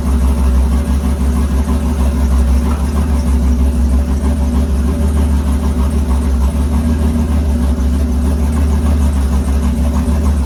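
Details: Engine with Huron Speed turbo kit and BTR turbo cam on first start, oil primed, temporary air reading in place: deep, steady idle rumble with a lopey cam rhythm, no knocks or squeals; idling normally.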